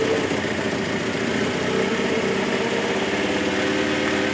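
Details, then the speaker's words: 1978 Mitsubishi Colt Sapporo RWD coupe, first start after sitting since 1993, running off choke without fuel or air filter: even, steady idle with no stumble, misfire or shake; normal healthy idle. "that's really good isn't it how nice is that look no vibration at all with no fuel filter on it and air filter"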